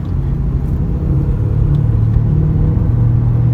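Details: Daihatsu Terios front end while driving, also at neutral 700–800 rpm: deep continuous drone swelling with speed from the left side; suspected worn left front wheel bearing or front driveshaft, not confirmed.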